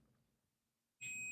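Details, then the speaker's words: Digital multimeter continuity test while troubleshooting a tripped MCB: near silence, then a steady high-pitched beep starts abruptly and holds as the reading shifts from 1 (infinity) to 0, indicating continuity across the probes. "and then you will hear that beeping sound, and it will shift from a 1 to 0. What does that mean? From infinity to continuity."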